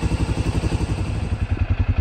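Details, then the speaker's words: 2015 Can-Am DS250 ATV, after carburetor and jets cleaned (previously ran rough, wouldn't idle); even steady idle thump about ten pulses a second, no misses or rattles, not smoking; normal idle. "but yeah it ain't smoking or nothing motor sounds healthy on it"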